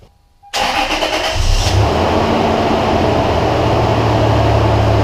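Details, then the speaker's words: 2003 Toyota Tacoma 3.4L V6 after cleaning the throttle body and fitting a new gasket to fix idle vibration (engine mounts checked okay): brief crank, then smooth, steady idle with no hum or shake; normal idle, vibration gone. "actually there is a difference I'm actually really really surprised it does run smoother"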